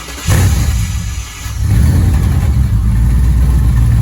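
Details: V8 first start after Holley Terminator X Max EFI install, fuel pump confirmed running, starter jumped; cranks, catches and settles into a strong steady rumble with a quick rev; normal start and rev.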